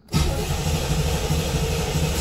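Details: 1987 Chevrolet Corvette C4 that sat 25 years; VATS ruled out since the security light is off. The starter spins the engine at a steady quick chug, about five beats a second, and it never fires.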